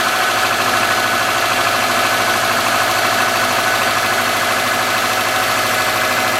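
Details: 2003 Subaru Forester, 178k miles, ~150 miles after head repair for a dropped valve guide, cold idle. Light, fast ticking from the driver side at about two per second: the front-cylinder exhaust valve clearance was .029 instead of about .010. Adjusting the valve clearance removed the noise.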